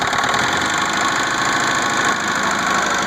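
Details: 1996 Saturn SC2 at rough idle: hard, fast metallic knocking as it keeps running before dying; owner suspects a spun rod bearing, unconfirmed.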